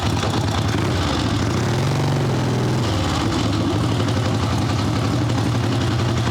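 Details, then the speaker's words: Evo Sportster idling: upright the V-twin idles high, then dips and loses its evenness when dropped onto the overbent kickstand; too much fuel choking it out from the bike leaning too far, not out of gas. "idle upright high it's fast for sure drop it down that's fuel it's choking it out it's not that it's out of gas"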